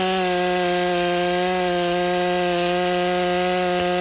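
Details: Rebuilt Stihl MS661 C-M chainsaw cutting after cold start, M-Tronic carburetor tuning itself as heat builds; clean steady high pitch through the cut without burbling or sagging, running properly.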